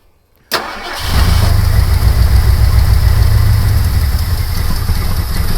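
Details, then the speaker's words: 1972 Ford Gran Torino 351C with a new remanufactured starter and gas poured down the carburetor, unrun since November 2021: it cranks briefly, then settles into a steady, even V8 rumble with no misfire. "yeah it runs I knew it would run"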